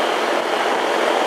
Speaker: hey hey that sounds better sounds like we got a little compressor action